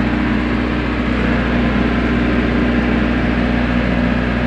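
A diesel generator idles with a steady low hum and even engine beat, no misses or knocks.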